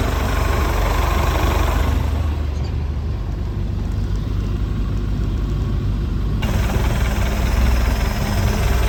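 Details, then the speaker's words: 1995 Larson 174 SEI boat, 3.0 MerCruiser Alpha One Gen 2 sterndrive, first start after sitting 3 years: fires right up and idles with a steady, even low rumble, no knocks, misses or squeals; normal. "Fired right up. Sitting for 3 years. Just gonna sit here and idle. That's amazing."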